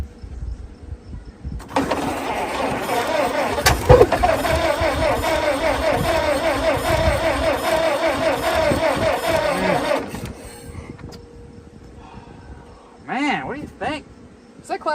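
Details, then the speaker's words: Old Ford Model T on a start attempt using ether: uneven sputtering firing for several seconds that never settles to idle, then dies; engine fires but won't keep running, spark plug wires suspected. "she's cranking look like it's working see what she does it's dangerously close to starting"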